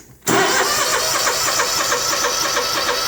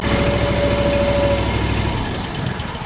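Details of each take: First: Small engine with brand-new carburetor and electric fuel shutoff solenoid: about four seconds of brisk even cranking that never fires; fuel reaches pump, so stuck solenoid plunger blocks fuel. Crank no start, fuel solenoid fault. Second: Small engine with an electronic fuel solenoid on a brand-new carburetor fires after being choked with pliers, then runs at a steady, even beat before winding down; normal running once started.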